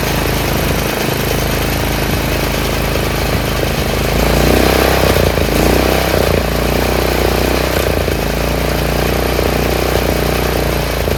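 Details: Troy-Bilt 30-inch rear engine rider after carburetor rebuild: small single keeps a steady, even putter, no stumbling or surging, slightly low idle; clogged main jet was the fault, not the gas.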